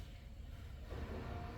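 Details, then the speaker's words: 2012 Ford F250 6.7L diesel, key on after fuel filter and water separator replacement: faint steady electric hum with slight gurgle as pump primes and pushes air through system. "so you hear all that noise so that's all that air that's getting cycled right through so we're going to go ahead and wait for that"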